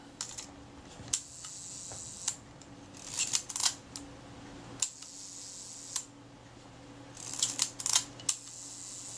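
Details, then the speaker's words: River-submerged Kodak Retina IIIC camera under repair, shutter retaining ring just refitted: crisp, snappy releases at uneven intervals, each clean and complete; shutter fires properly every time. "As you can probably hear, that shutter's working well."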